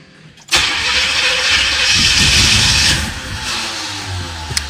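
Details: 1986 Corvette C4 L98 TPI V8 with rebuilt engine, about 132,000 miles, after reinstalling the starter, hot-restart problem: starter whirs and the engine turns over steadily at a few beats per second but never catches; crank, no start.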